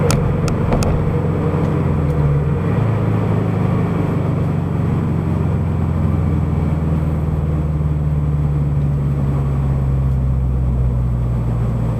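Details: Subaru BRZ/FT-86 with SpeedFactory header and exhaust, warmed up, in-cabin at highway cruise after fixing header rubbing the debris shield (hole cut in shield): steady low drone, no buzzing or rattles, smooth and even; no vibration remains.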